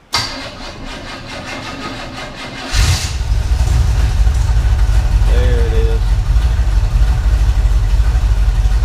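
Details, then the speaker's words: 1980 Camaro 5.7 small-block V8, restarted: brief crank, catches near three seconds, steady even deep idle; sounds healthy, though it has an oil leak and an exhaust leak. "there she is sounds really good but we do have an oil leak and I'll tell you where that is"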